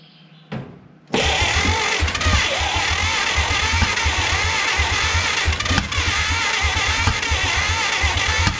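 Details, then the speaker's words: Abandoned 1950 Dodge Pilothouse truck, flathead six, cranking after drying the plugs while feeding fuel/brake cleaner: uneven starter grinding with a few ragged firing bursts; nearly catches but won't keep running. "she almost went almost just keep trying eventually this thing's gonna catch"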